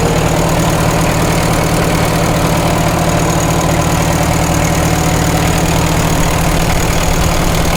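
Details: 1936 Caterpillar Twenty-Two tractor on gasoline, run after sitting for years: a deep, regular beat at its slowest low-throttle idle with no knocks or misses, and 35 PSI oil pressure. Healthy normal idle.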